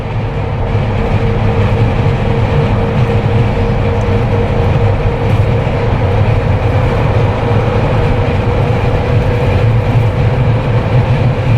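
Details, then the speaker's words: Jeep Wrangler with LED light bar after a no-cost whistle fix, cruising about 110–120 km/h on the highway: steady road and wind rush with no whistle or tone over it; the light bar is quiet. "$110. $120. And not a single whistle."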